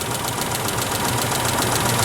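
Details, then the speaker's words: Isuzu Trooper / Honda Passport petrol V6 with coil packs, jump-started, idling with an uneven stumbling beat and the engine visibly rocking: misfire at idle, not firing on all six cylinders, one dead cylinder. "It's doing this number right here, which is your first clue that something's wrong. It's not firing in all six cylinders, cuz if it was, it'd be balanced."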